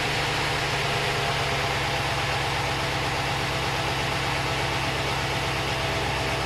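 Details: Stock 2015 Ram 1500 with a 5.7L Hemi, warm, idling steadily with hood shut then open; the light, quick ticking is normal fuel-injector noise, with no Hemi tick, lifter tap or misfire. Normal idle.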